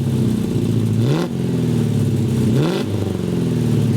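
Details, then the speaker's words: Rover SD1 under restoration, after a temporary bodged hose repair: fast idle with two crisp throttle blips that rise and fall cleanly. It sounds much happier with better response, though idle sits high at about 1800 RPM. "And now, I think you'll agree, sounds a hell of a lot happier. Response is much better."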